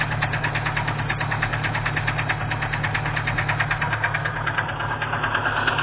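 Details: Sharp, steady metallic knock about three times a second over a rough idle: a broken-off piston skirt knocking in the engine.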